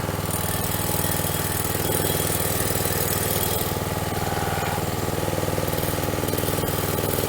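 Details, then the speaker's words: Troy Bilt two-stroke string trimmer after fuel system repair, new air filter, pre-filter and spark plug, started without priming: steady fast idle, even firing with no misses or sputter, runs cleanly. "All right, sounds good."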